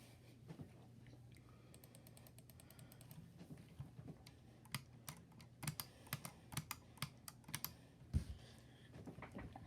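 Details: Logitech G502 Hero mouse buttons: crisp, sharp single clicks at irregular spacing in a quiet room; switches click cleanly, normal mouse button clicks.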